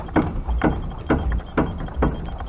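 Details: Fiat Uno Mille, wheel on, steering pushed by hand with an extension bar: sharp hollow knocks about twice a second with each push, coming from inside the steering rack rather than the tie-rod end; worn steering rack.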